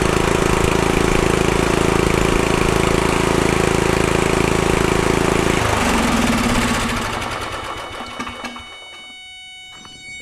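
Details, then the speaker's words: Murray Select riding mower with 13.5 hp Briggs & Stratton: steady even run, then cuts cleanly when the coil wire is grounded; runs well, shutoff fault suspected in the key or ignition switch. "But you see, it runs pretty good."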